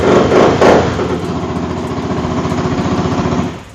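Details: 2020 Benelli Motobi 200 EFI single with a drilled-out original exhaust at idle: crisp, even thump about four beats a second, loud through the opened exhaust, then shut off; sounds healthy.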